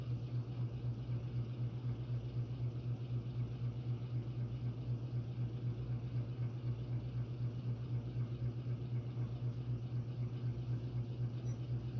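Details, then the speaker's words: Phil Frey custom brass oak leaf antique ceiling fan with Hunter six-blade adapter and 38" Homestead blades, about 211 RPM on high, running dry without oil: low steady hum with a regular four-per-second throb; vibration source unknown, blades not loose. "and I'm not sure what's vibrating cuz there is vibration isolating material between the rotor and the six blade flywheel and uh none of the blades are loose so I'm not sure what's making that sound"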